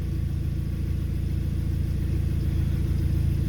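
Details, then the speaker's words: VW Caddy swapped to a 2.0 TFSI Audi A3 engine: smooth, steady low rumble with an even beat and no ticks or knocks; the engine starts perfectly and idles normally, though an automatic-transmission fluid pressure adaptation fault stops it going into gear. "How nice does that thing sound? And look at how happy I am."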